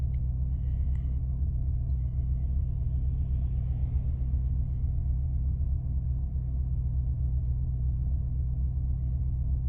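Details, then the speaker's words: 2005 Maserati Quattroporte, 4.2 litre V8 Ferrari engine, warm: fan goes off and revs rise slightly to a steady 950 to 975 rpm; smooth, even rumble with no hunting or misfire, a normal idle. "Fan's gone off, revs have gone up slightly."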